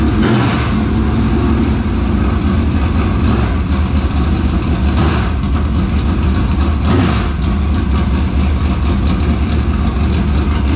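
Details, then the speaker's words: Dirt Late Model race engine just started after carburetor work: loud, lumpy, hard idle with sharp throttle blips, pulling cleanly and evenly. Normal, healthy idle and revs. "Hey, I think it sounds pretty dang stout. It does. Sounds good to me."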